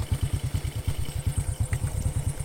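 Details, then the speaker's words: Honda Karisma single-cylinder motorcycle on final test after overhaul, before handover: steady, even low thump at idle, about six beats a second, no knocks or rattles; engine stable, smooth and normal. "Oke saya rasa tidak ada masalah untuk unit ini sudah benar-benar ready untuk suara mesin tetap stabil dan normal tidak ada perubahan suara intinya tidak kasar"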